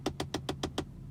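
Six sharp, evenly spaced ticks, about seven a second, then it goes quiet; a ticking from behind the dash, cause not yet known.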